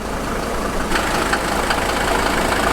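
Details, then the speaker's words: 1983 Mercedes W123 300TD, OM617 diesel, warm, after mechanical lift pump rebuild: even clatter at steady idle holding without throttle, no misses or hunting; previously stalled from fuel pressure bleed-down, now normal. "well I don't think you could have asked for a better startup than that jeez"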